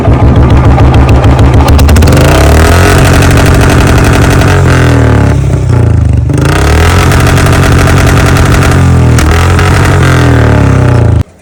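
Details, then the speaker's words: Royal Enfield Bullet just after a service: starts cleanly, then a steady, even single-cylinder thump with a few throttle blips before shutting off; runs healthy, owner notes the sound changed a little after servicing. "तो इसकी आवाज़ सुनवाते हैं आपको service के बाद। जो हमारी bullet की आवाज़ है वो किस तरीके से एकदम चेंज हुई है थोड़ी।"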